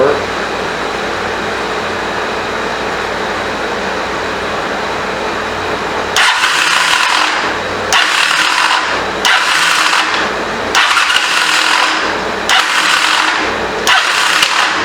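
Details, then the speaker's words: 1985 Honda CMX450 Rebel unused for 15 years: starter cranks in short uneven bursts without a full revolution and the engine never catches; owner suspects a badly installed or failed starter clutch, or the starter itself. "Man, they put a starter clutch in it. Dude did not do it right. That does not sound good. It sounds like to me the starter clutch is bad."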